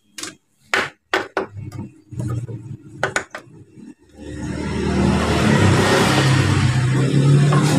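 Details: Honda Beat injection scooter starter motor, removed from the bike, with a complaint of a rough "ngek" noise when starting. The loose starter spins with a coarse, gritty growl instead of a smooth whir. Inside it is dirty and dry; fixed by greasing the bushing end.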